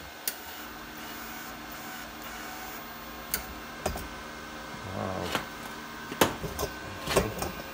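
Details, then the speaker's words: Cheap eBay MIG-200D3 welder, wire feeder tried with wire speed turned up to 6 then 10: scattered sharp clicks about once a second, no steady motor hum, wire not feeding; owner thinks it lacks power, cause unconfirmed. "I hear it clicking, it just don't sound like it's enough power."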